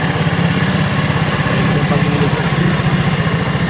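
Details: Rusi RFI175 scooter after CVT cleaning, worn rollers and tightening loose bushing screws. Steady, even low idle putter with no clicking or rattle from the CVT side: normal idle.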